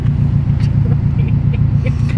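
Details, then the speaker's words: 2016 or 2018 Subaru WRX STI, Hyper Blue, idling: deep lumpy idle with uneven low pulses about seven a second that stumble rather than run smooth. "here's the problem with this car is you guys can hear it doesn't really run"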